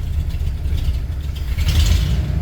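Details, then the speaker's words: Ford F100 FE V8 that has been sitting, started on starting fluid, cold, choke partly off and given some gas: deep, steady rumble with an even beat and no knocks or misses; normal cold idle. "Okay, start it up. Okay, we're back in business. Take off the choke a little bit. Give it some gas."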